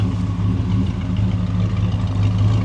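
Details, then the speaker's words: 1957 Chevy Bel Air 2-door V8: deep, even, rumbling burble holding a steady beat with no misses or knocks; idling cleanly, exhaust sounds good. "the exhaust sounds good just a beautiful and those fins man those iconic fins I can't get over it"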